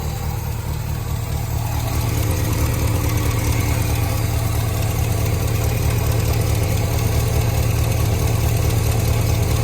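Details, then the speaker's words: Warm Holden HQ ute V8 idling after oil change, exhaust refit and alternator wire fix, revived after 20 years: steady, even low burble with no knocks or ticks, manifolds burning off; running sweetly. "Listen to this thing. It's burning off a bit on the manifolds, but this thing's an absolute sweetheart now."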